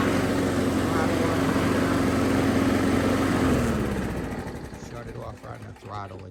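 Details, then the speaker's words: Rebuilt Craftsman 2000 series mower, carburetor replaced with one built from stockpile, new throttle linkage and springs: steady smooth drone, then clean wind-down when shut off on throttle; normal running. "Anyway, give it, I'll start it up for you real quick. Probably everybody'd like to hear that."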